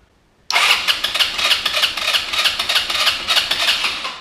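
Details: GY6 150cc scooter bought non-running, panels off and nothing repaired yet. The battery was suspected dead, and a vacuum line off the intake manifold feeding the vacuum petcock has just been plugged. Fast, even starter cranking for about four seconds with compression pulses but no firing. It cranks without starting; cause unconfirmed.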